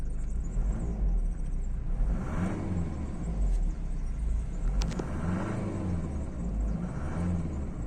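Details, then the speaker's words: 1995 Mercedes-Benz C-Class W202, 2.2 16v OM604 naturally aspirated indirect-injection diesel, started after glow-plug light goes out: steady low rumble with soft even clatter settling to smooth idle; normal healthy diesel idle. "Esse motor é diesel, então ele tem esse barulho bem característico. Na minha opinião, esses Mercedes sem injeção direta e sem turbo tem o melhor barulho dos diesel todos."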